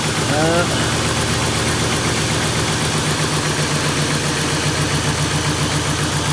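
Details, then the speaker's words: Ford Crown Victoria at idle: chugging, lumpy, skipping beat, slightly better than before but still misfiring. Owner suspects it probably needs injectors. "Nick I don't know it sounds like it actually is running a little better I mean definitely still misfiring but it does sound like it's running a tad bit butter"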